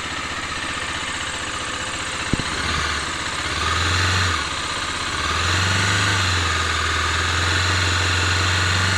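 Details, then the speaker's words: Bajaj Dominar 250 at 3759 km, engine slightly cold; quick regular rattling tick about four per second over idle, louder when warm in traffic; owner suspects timing chain tensioner, possibly head. "छोड़ दो यार किसी चीज का sound ए रहा है जो यार अभी तो हमको ग रहा है टेंशनर का है"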